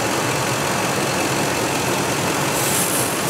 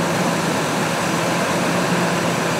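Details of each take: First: 2003 Ford F-150 V8 at idle with codes P0171 and P0174 (both banks lean): steady airy hiss from a vacuum leak at a cracked rubber intake boot, finger gets sucked in. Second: 2003 Ford F-150 with codes P0171/P0174 (banks too lean) after a vacuum leak was repaired: even, steady V8 idle with no hissing or hunting, running better and fixed.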